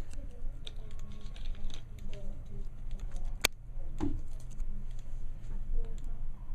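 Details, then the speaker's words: Omnipod insulin pump pod priming after filling, about 40 seconds: faint, irregular soft clicks in a quiet room as insulin goes to the cannula tip, settings transfer and a diagnostic runs; normal operation. "yep so right now the insulin is going to the tip of the cannula right all my settings are being transferred over okay there's also doing a diagnostic test to make sure everything is functioning correctly"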